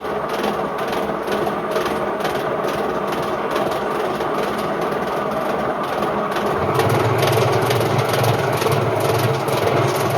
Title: Indesit IWC71453 washing machine || This is why you don’t destroy a washer with bad bearings!